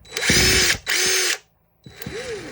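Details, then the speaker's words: Worn, old DeWalt DCF885 impact driver after brushing it out: short bursts of hammering with high rattle, then softer low-speed run, smoother than before; running normally. "but it definitely sounds better though at low"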